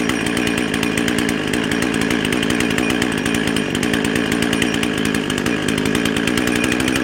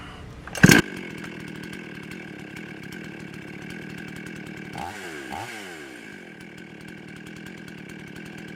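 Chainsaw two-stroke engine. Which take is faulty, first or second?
first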